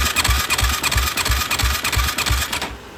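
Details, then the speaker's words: 2007 Yamaha YFZ450 cranking after oil added to cylinder: fast light cranking about three strokes a second without firing; compression dropping each crank, coolant-wet plug; suspected leaking head gasket and worn rings. "Every time I crank it, it's getting lower and lower. So. Looks like Looks like head gasket and rings."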